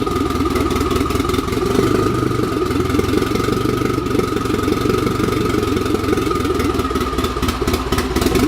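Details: Turbo car after new turbo and manifold install, idling through open downpipe: loud, raspy exhaust with uneven pops and stumbles breaking the rhythm; misfire, blamed on loose coil pack wires, no exhaust leak found.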